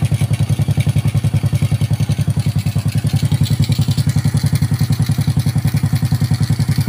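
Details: Honda Karisma 125 after its piston-slapping 150 bore-up was returned to a standard bore, first start after reassembly: even, steady thumping idle at about three and a half beats a second, no slap or knock; normal idle.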